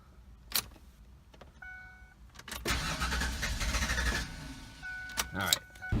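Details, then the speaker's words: 1996 Ford Explorer that sat two years, fresh battery, very bad old gas: warning chimes, starter cranking with a brief catch that dies; it fired and ran a second then shut off, owner doubts the fuel pump. "the first thing I think could be here the fuel pump is bad but we saw it start right up and it ran for a second and then shut off so that's usually not a fuel pump thing"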